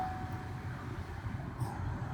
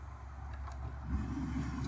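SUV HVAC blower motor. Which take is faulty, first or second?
second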